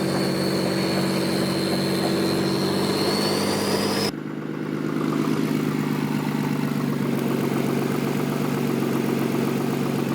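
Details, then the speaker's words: Acura RSX being readied for boost, cold engine, while driving around the block: light ticking knock heard when accelerating as revs rise; guessed to be a rod knock on the back rods, unconfirmed. "I would guess that you have a knock on those back rods"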